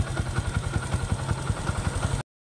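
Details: Yamaha YTX motorcycle after repair, including a forgotten washer, with the knock gone: engine idles evenly with a steady low thump, about five beats a second, no knocking.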